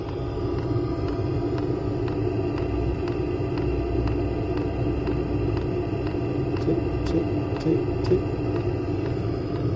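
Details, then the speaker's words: Chinese diesel heater on a Jayco van, after the fix: soft even fuel-pump ticks about twice a second over a low heater rumble; pump suspended on rubber hose and wrapped in egg-crate foam, now barely audible. "so if we go away from it now you have to be listening really hard to hear that and that easily just sits in the background like your subconscious or your mind will just easily block that out"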